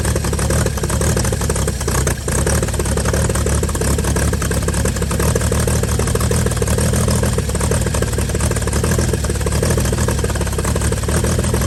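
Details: 1955 Chevy inline six truck revived after sitting about 30 years, solenoid from another vehicle, carburetor filled and leaking, just started: steady even low rumble, smooth firing beat, no knocks or misses; normal idle.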